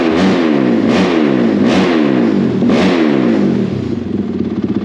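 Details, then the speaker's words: Honda 450R quad rebuild first start: single-cylinder snapping up and dropping about four times in a few seconds, crisp with no misses; stock map revs slower, owner switches to map 8 for sharper revving. Normal fast revving. "so this is like stock map it kind of doesn't rev as fast so this is like you know when you're out there playing with the kids you know you run it in stock maps right and then you go well you know i really had enough of your and then you flip it down into uh it's called map 10 but i have it on map eight"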